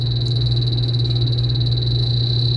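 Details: Warm Beverage-Air chest beer cooler, low on R134a refrigerant, condenser not warm: rapid steady high chirping over a low hum as the leak detector on its low setting alarms at the evaporator; leak found, new evaporator needed.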